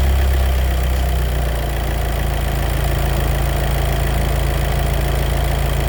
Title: DSG DQ250 clutch noise problem